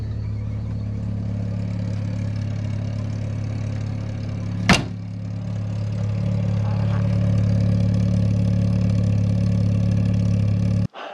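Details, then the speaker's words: VW Golf Mk3 after its fuel pump motor was rebuilt, now driving normally, tank low on fuel: steady low engine hum with a faint constant whirr; the pump sounds rough and loud, perhaps worsened by the low fuel level. "oh well i think you can hear the pump going doesn't sound too good to be honest but the car is also low on fuel so"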